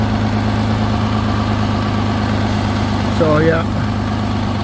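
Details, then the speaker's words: 2016 Nissan Maxima idling after a DIY welded repair of its rusted-out exhaust: a steady, even idle with a smooth low hum and no ticking or puffing. Exhaust sealed and quiet; healthy. "All welded up. At least now you can drive around. Peace quiet."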